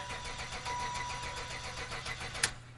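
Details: Old Buick wagon in wet weather, low oil light staying on: the starter spins the engine at an even crank rhythm but it never catches, rich fuel smell; Accel ignition coil was the cause, fixed by an OE GM coil.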